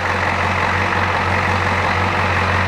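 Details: Old Ford diesel truck idling after the failing brake vacuum pump was repaired, with the booster line on a gauge reading about 26–27 in of vacuum, up from 12 before; steady, even idle with a smooth low drone, no misses or knocks.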